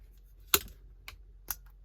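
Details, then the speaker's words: Crash inertia switch from a car's EFI rewire, demonstrated by hand: silent when set, then a few sharp light clicks as the loose ball rattles inside the tripped switch; pressing the button resets it. "Here's a little demo of the inertia switch. No noise. Now the ball rattles around, and to reset it,"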